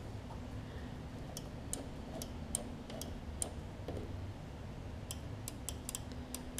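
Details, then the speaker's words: Lawn Boy push mower, no spark: faint irregular sharp clicks of the blade stop switch over a quiet hum; worn blade stop cable not pulling far enough to actuate the switch that lets the engine run. "that switch this mechanism is not pulling far enough back to enact that switch to turn the motor on so this cable is a little bit worn and I'll have to adjust it"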